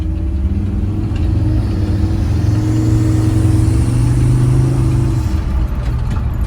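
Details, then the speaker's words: Chevrolet S-10 with Mercedes diesel engine after fitting bigger rebuilt turbo, first test drive: steady deep diesel drone under load rising smoothly with no knocks or misses; transmission reluctant to shift: normal running. "Sounds really good. Sounds really good."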